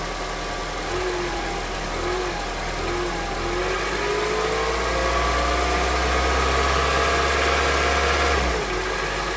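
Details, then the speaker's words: Honda CR-V, 200,000 km, warm engine, first start after changing to thicker 10W-40 oil on the old filter: idles then revs with a steady fast tapping, about 3-4 per second, unchanged by revs or thicker oil; engine knock, cause unknown. "Ну что я могу сказать эксперимент удался и не удался короче на более густом масле ничего не происходит всё тоже самое стучит"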